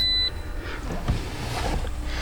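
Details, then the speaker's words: 2017 Toyota RAV4 AWD that stalls when the wipers are turned on: short electronic warning chimes over a steady low hum, fault codes triggered just by touching the steering column wiring harness. "just bringing up a lot of Errors right now that's all the beeping that you hear okay just touching this harness like this made it all happen"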